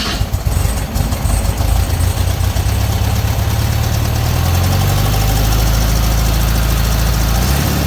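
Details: 1968 VW Beetle air-cooled engine after tune-up with points ignition, checking distributor cap and rotor: catches and settles into a deep, even, steady run with no stumbling or misfire; running properly.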